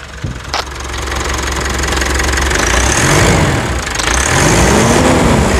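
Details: 2017 Mitsubishi Triton 2.4 4N15 all-aluminium diesel (190 hp) after brake caliper replacement: catches quickly on start, builds to an even steady diesel clatter, revs rising and easing smoothly without knocks or misses; normal start and rev.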